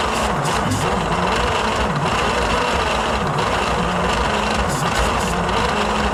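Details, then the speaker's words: 1938 Dodge D8 sedan engine, unstarted for roughly 30–40 years, cranked with starter fluid and a battery charger boost. Slow starter churn with an occasional lone pop; only one cylinder is firing and it won't start. "I can hear one cylinder definitely popping."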